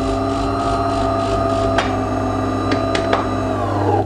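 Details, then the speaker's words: De'Longhi Dynamica FEB 3515.B automatic coffee machine dispensing while the coffee drink button is held to program cup length; steady low pump buzz with constant tone, no rattle or straining, then winds down; normal dispensing. "maintenir le bouton de la boisson café qu'on veut régler enfoncé pendant quelques secondes jusqu'à ce que ça clignote voilà la machine elle prépare et elle va commencer à distribuer la"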